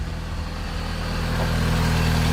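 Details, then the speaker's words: Vauxhall Astra H 1.6 replacement engine idling cold just after its first start, smoking as expected from oil put in cylinders: steady even low idle, smooth settled hum, no rattles or knocks, unlike the rattling previous engine; healthy. "That sounds absolutely amazing compared to the rattles we had with the other one."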